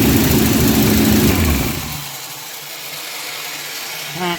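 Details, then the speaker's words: Junkyard 1977 Dodge RV 360 V8 run on the ground: revs up strongly then settles to a steady, even idle with no knocks or misses; sounds healthy for an old junkyard motor. "well maybe don't sound too bad for an old junkyard motor"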